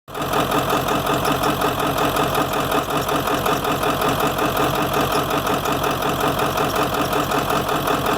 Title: 7.3 rough idle, blowby